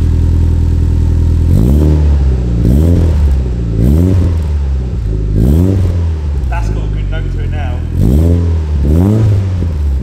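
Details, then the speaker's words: Gen 6 Toyota Celica GT-Four, first start on its new GT Four Play exhaust after the old cat was removed; catches into a deep steady idle with crisp blips rising and falling cleanly: normal start and revving. "okay here we go oh now that sounds better"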